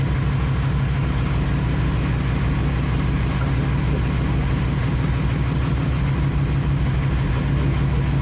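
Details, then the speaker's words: 1931 Ford Model A coupe first run since November after refitting the other carburetor; steady, even low rumble with a smooth lope and no knocks or misses; normal idle. "first time running since [Music] November I have a fantastic automobile right here you can hear how good it runs look at [Music]"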